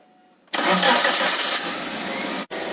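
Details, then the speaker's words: Engine cranks, starts at once and idles evenly with no knocks or whine after draining coolant, removing belts, and replacing a water pump that was noisy from normal wear; noise now eliminated. "好了，经过我们检测与维修后异响已经排除。"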